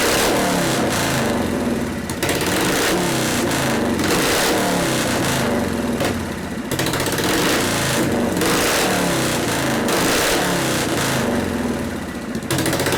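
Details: 1973 Harley-Davidson Shovelhead FX 74ci after frame swap, first start: loud loping V-twin beat swelling and dipping about four pulses a second, running freely with no knocking; idle circuit may need carburetor adjustment.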